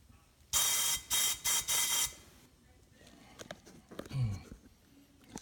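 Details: Buell Blast 500 that won't start, compression test reading only 15-30 psi with blow-by: sharp bursts of air hiss, four pulses in about 1.5 seconds; compression is leaking somewhere, cause not found.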